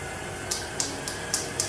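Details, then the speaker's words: Gym treadmill at 6–7 mph: motor hum with a sharp, hissy scrape three to four times a second from a drive belt that is too dry; the grinding squeak fades once warmed up, and the fix is green Dove soap on the roller. "you can already start hearing the grinding sound coming from the Drive Bel cuz it's too dry"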